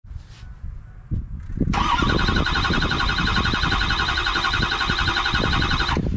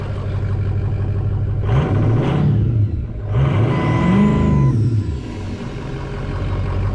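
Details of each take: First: Ford 6.0 Powerstroke diesel that has repeatedly quit and left the truck stranded: starter spins with a high whine and even compression pulses for several seconds, but the engine never fires; crank, no start, cause not yet found. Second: Ford 6.0 Powerstroke diesel after fixing no-start (loose FICM plug): blips up twice with turbo whistle rising and falling, then settles to even idle; normal idle, running cleanly.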